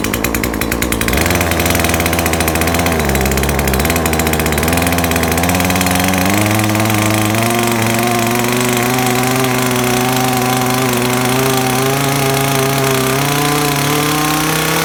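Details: Chainsaw that would not rev, after carburetor adjustment and reassembly, before final fine tuning: clean two-stroke buzz climbing smoothly and evenly as the throttle opens, with no bogging. Normal revving.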